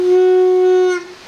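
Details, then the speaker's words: Vespa reed valve (membrane) blow test while checking for gaps: blown through by mouth, it gives a loud steady horn-like buzz for about a second, louder and shriller than the other reed. The petals seal properly. "Tapi ini suaranya lebih besar dibandingkan ini. Ya, ini lebih nyaring lah itu. Ini lebih nyaring, jadi nggak ketipu-tipu amat lah."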